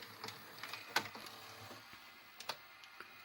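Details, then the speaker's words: Grandin 2-head VCR, model 97, after cleaning the mode switch and mechanism: soft, scattered clicks and light ticks as the cassette loads, quiet and free of grinding; loading now a million times better and smooth. "je remette le chargement de la cassette puis on va rester c'est reparti là encore le cas cette fois c'est un million de fois mieux"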